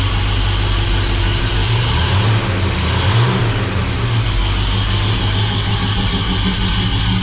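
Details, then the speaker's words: Rebuilt Oldsmobile 350 V8 in 1969 Cutlass, after cam break-in: deep loping idle with gentle uneven beat from mild cam, steady and clean, no knocks or ticks. "we got a pretty mild cam in it that you can hear"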